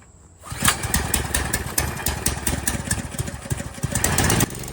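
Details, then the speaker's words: Landworks 20-ton log splitter small single-cylinder engine, new, kill switch on, loose choke lever; pull start catches at once into steady even putter, quieter than expected, no misses or knocks; normal start and idle. "Honestly, a lot quieter than I thought it would be. I don't know if you can hear it on the camera, but it's really not all that bad."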